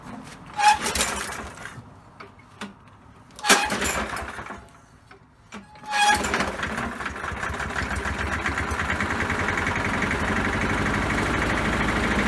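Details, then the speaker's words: Poulan Pro mower that had been sitting, fitted with the wrong air box and no air filter: after a few pulls it runs ragged and uneven instead of idling cleanly. Cause: the throttle spring was left off. "okay guys so operator error I forgot to put on the throttle spring simple there's a little hole so bam and then damn now we should get some better results"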